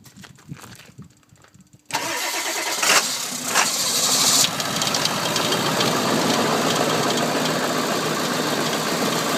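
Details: 1999 Ford 7.3 Powerstroke diesel with bad glow plug relay (relay jumped): slow hard start, cranks, catches with sputtering, then settles into steady idle; known to lope once running.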